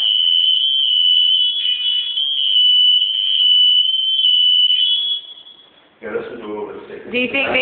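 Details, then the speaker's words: Smoke alarm tested during a home inspection: only a faint, steady high-pitched tone for about five seconds, so the sounder is weak and the unit needs replacing; a new battery was not thought to be the fix. "no that one's not working not like the other no you can hear just the faint yeah try again"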